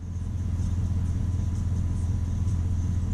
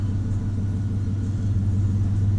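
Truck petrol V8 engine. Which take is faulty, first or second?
second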